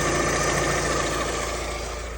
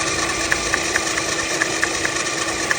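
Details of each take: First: Alfa Romeo Twin Spark engine at idle after the knocking SKF balance belt tensioner was swapped for a different make (Dayco): smooth, even hum, tensioner steady and no tapping or knocking. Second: Alfa Romeo Twin Spark engine idling: a crisp, regular tap about twice a second from the timing belt area, caused by the SKF-brand balance belt tensioner bouncing; the tensioner must be set in the middle.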